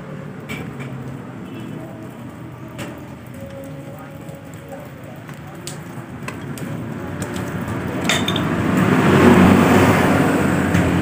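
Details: Honda Beat scooter after CVT service, CVT housing bearing replaced (owner had reported loud noise at low rpm): engine idles with a low even rumble then revs smoothly, no grinding or rattle from the CVT.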